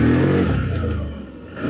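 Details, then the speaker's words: ODES Pathcross 650 ATV after the fix (a wire cut): engine revs up cleanly, note falls and recovers smoothly with no stumbling or surging; pulls normally through the forest; normal acceleration. "Ох, как он теперь едет, интересно. Всё, проблема решена, ребята."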